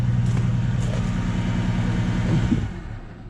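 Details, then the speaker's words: Vehicle with a single coil pack: low uneven idle rumble with a recurring stumble; engine has a miss traced to the failed ignition coil, new Master Pro unit to be fitted. "See, it has a miss. That's no good."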